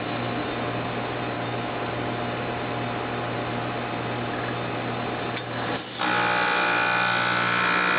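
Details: Trane WCY030 heat pump with 2940 defrost control, forced defrost test: steady compressor hum, then a sharp click and short refrigerant whoosh as the tone shifts. Normal reversing valve changeover coming out of defrost back into heat.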